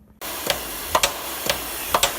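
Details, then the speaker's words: Old double-ended Haskel gas booster after its shuttle valve was cleaned and rebuilt, driven by about 12 psi of dry air: air hiss with crisp, evenly spaced shuttle clicks about twice a second, cycling smoothly. "Well, that's nice. Listen to that baby purr. Impressive thing is that this is about 12 psi of dry air."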